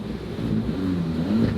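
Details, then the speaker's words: Cat-S crash-damaged VW Polo R-Line, first start: engine fires with quick over-rev flare, then smooth even rumble with no knocks or rattles; healthy start, though coolant warning appears. "it sounds a little bit sporty you can hear that over rev"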